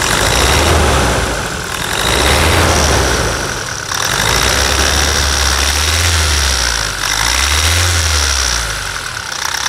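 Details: 2017 Toyota Hilux 2.8 1GD diesel with brand-new zero-km replacement engine after the old one seized: even diesel clatter over a low rumble, swelling and settling smoothly with light throttle, no knocks; normal healthy idle.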